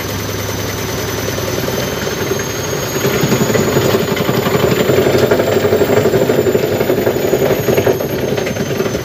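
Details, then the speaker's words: Side-loading (front-door) washing machine on spin cycle vibrating violently, thumping and rattling hard at about four knocks a second over a heavy rumble; cause still to be checked. "Hai ini terjadi getaran keras ya ternyata ketika Spin saya coba cek nanti"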